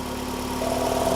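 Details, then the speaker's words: Ford Escape with a P144A EVAP code, idling after purge solenoid replacement: faint fast clicking as the PCM commands purge, and the valve draws vacuum; normal purge solenoid operation. "Plug it back in, and I don't know if you guys can hear the clicking sound, but immediately upon plugging it in, the PCM is asking for it to be purging. So immediately we are in purge mode."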